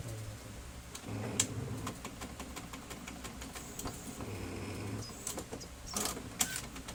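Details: Brother DCP-T420W printer feeding paper: quiet whir broken by irregular clicks and rattles during pickup; gear noise on paper pickup, a worn or chipped pickup gear suspected.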